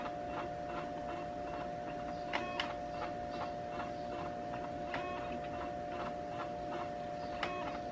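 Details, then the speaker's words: HP Beats Special Edition laptop that fell while its DVD was spinning at high speed: at boot the optical drive ticks lightly every second or so over a cycling thin whir, trying to spin up and failing; the drive is likely dead. "Because whenever you boot it up, the drive will make a funny noise. You hear that? It's trying to spin up."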